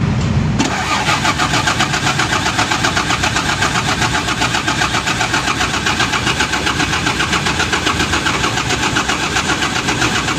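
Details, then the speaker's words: Mitsubishi 6M70 diesel engine, intermittent hard start, sometimes needs starting cleaner: long steady cranking about four beats a second without catching; hard starting attributed to incorrect injection pump timing. "So yun mga boss Ayaw talaga umandar yung engine Grabe ka hard start may time daw mga boss na aandar siya may time na Ayaw talaga siya umandar"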